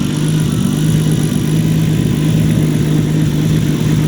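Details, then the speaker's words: Freshly built, still breaking-in RB25DET S13 240SX after a street tune (3076 turbo, 1000cc injectors, LS coil packs): steady, even idle with a smooth low drone, no misses or hunting; owner thinks it runs a little lean, still needs fine tuning; normal idle. "It idles pretty good. I think it's running a little lean, but we still have to fine tune it."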